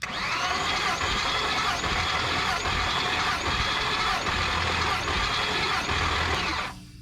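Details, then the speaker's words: 1977 Chevrolet 4x4 with small-block Chevy, ditched project, cranked wide open for a compression test on cylinder seven; steady starter whir with even compression pulses, reading only about 120 psi, likely leaking at a worn tester O-ring. "and we only got to a buck 20 but I think it was actually leaking over here compression tester here she might be due for a new o-ring I can hear it blowing out of there"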